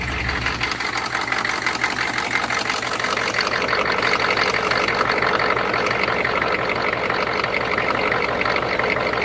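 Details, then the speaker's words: 6.5 diesel at cold start after manual glow plug preheat, clattering rough idle with an uneven lope, missing on at least one cylinder, smoke from tailpipe; coolant in cylinder, later found to be blown head gasket, cracked heads and cracked block. "it's missing on at least one cylinder right here this is part of the rock immediately also got smoke coming out of the tailpipe"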